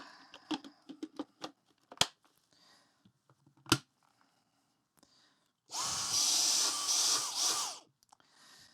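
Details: Dyson stick vacuum (possibly V7 or DC35) with brush roll not turning, after reseating a tab that likely caused an air leak; handling clicks then motor whirs up about two seconds with even steady rush; motor running normally.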